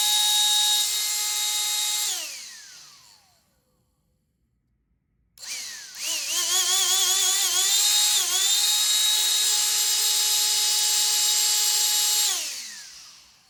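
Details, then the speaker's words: Old BLACK+DECKER CHV1410L 16V Dustbuster, opened and cleaned after rumbling and burning smell: motor spins up with a steady high whine at even pitch, no rumble or scraping, no burning smell, then coasts down. "I am not smelling the smoke anymore. I'm not smelling anything burning. So I'm not really sure what exactly was going on with this thing."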